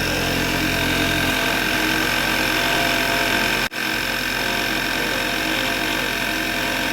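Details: Volkswagen MK6 shortly after a cold morning start: steady high fixed-pitch whine rides over a smooth idle, with a brief dropout midway; failing alternator, and the noise was gone after replacement.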